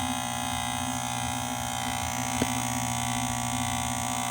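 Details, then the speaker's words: Vox AC30 CC2 tube amp: a steady low hum with a bright hiss comes up as soon as it is switched from standby. The owner suspects a tube; the rectifier looked fine. Cause unconfirmed. "so I don't know what this noise is I've taken the HAMP out inspected some stuff but I'm really not sure it's on standby now soon as I switch it that noise comes up could it be a tube I'm not sure"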